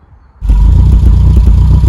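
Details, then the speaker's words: Classic Mini with stage 1 kit, conventional coil and new spark leads: engine catches and settles into a lumpy idle with uneven exhaust pops, because ignition timing is at 34 degrees advance at idle, far too advanced. "one of the things you notice there is the popping on the exhaust if you have a look at the Charming setting the reason why we're popping on the exhaust is because we've got 34 degrees of ignition Advance when that's idling which is way too advanced"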